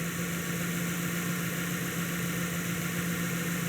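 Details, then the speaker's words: 2012 Mazda 3, 2.0 L naturally aspirated, check engine light on but not flashing: scan shows random misfire plus cylinder 4 misfire; low steady idle drone with a lumpy stumble about once a second. "We got random misfire and a cylind cylinder 4 misfire as well."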